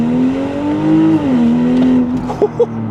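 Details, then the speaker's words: Stage 2 tuned BMW X5 xDrive45e plug-in hybrid (560 hp, 880 Nm) with cutout exhaust valves open under light throttle: steady low drone that climbs then settles, resonance noticeable roughly 2,000–4,000 rpm, better above 5,000. "then the resonance or the drone that you hear here like between 2 3,000 3 and a half 4,000 4,000. So above 5,000 then it gets fun but other than that it is annoying in my opinion."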